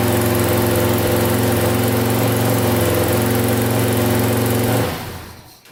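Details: 2000 Can-Am DS650 quad, single-cylinder 650cc, freshly rebuilt top end, restarted after brief oil leak: fast even idle, cam chain quieter, held a touch high; owner suspects carburetor needs adjusting.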